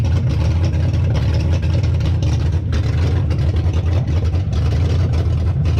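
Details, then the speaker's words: Hemi V8 swapped into a 1998–2003 Durango/Dakota, first start after disabling CAN-bus ignition system and deleting EVAP: deep, steady V8 rumble with even beat, no knocks or misses; normal running. "I did crank and it started and I shut it off real quick because I want you guys to check it out"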